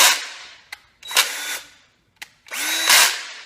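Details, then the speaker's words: Stanley FatMax 20V lithium drill reassembled after over a year in parts, run by hand-screwed test: short drill whine bursts with ratcheting, uneven catches and sagging pitch; gearbox slipping, suspected clutch system fault (spring possibly missing). "that was not a good sound I feel like something is just slipping away in there"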